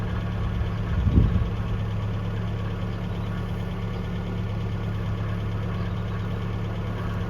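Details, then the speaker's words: 1982 Toyota SR5 4x4 pickup after fixing crank-then-cut-off problem (carburetor rebuilt earlier; owner thinks emissions control computer box was the cause): steady, even low idle holding rhythm without stumbling or dying; sounds pretty good, healthy. "let's try pretty smoo at the moment up a little bit down sounds pretty good at the moment"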